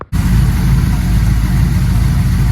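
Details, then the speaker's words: Old Chevy with a Brawler carburetor on a cold night, running after replacement parts: deep, steady rumble with an even beat and no misses or knocks, a healthy idle, though a fuel line fitting leaked and adjustments are still needed. "Well, it runs pretty damn good."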